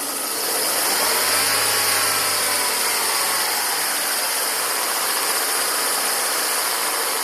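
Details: 2000 Volvo S40/V40 1.8 122 hp engine at idle: a harsh, hissing rasp sitting high over the engine note with no clear knock; the cause of the rasping is not yet pinned down.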